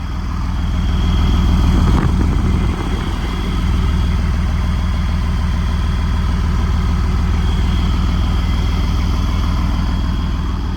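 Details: Huge diesel pusher RV at auction yard, listening at the beastly exhaust: deep, steady, even rumble with no misses or knocks; normal diesel idle.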